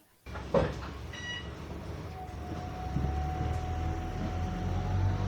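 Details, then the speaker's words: Bus electric power steering pump, front-mounted: a faint thin whine comes on when the steering wheel is turned after the pump had switched off and wound down in pitch, then holds its normal steady pitch over a low rumble. "the electric power steering pump look cuz it was off before you can hear it it was off yeah it was off here see it was decreasing in Pitch here"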